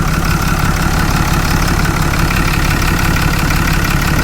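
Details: 6.7 liter Cummins turbo diesel truck, bought cheap, cold start, no smoke: even deep idle with light injector clatter, no heavy knock; normal diesel idle.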